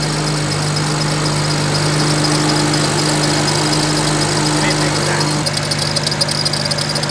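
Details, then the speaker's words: BMW E92 335i with used turbos, at idle: a constant low hum and whir over the idle from the belt drive. Unknown which pulley; owner hopes it's not the alternator, and a vacuum leak is also present. Suspected pulley noise. "something is definitely making noise i don't know which pulley it is but once i take everything off i'll figure that out"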